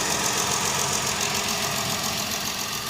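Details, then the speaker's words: Ford Fusion with a hard misfire at idle: an uneven, stumbling beat a few times a second over a rough hum. Rodent damage is found in the engine bay; cause suspected, not confirmed. "Got a Ford Fusion with a hard miss."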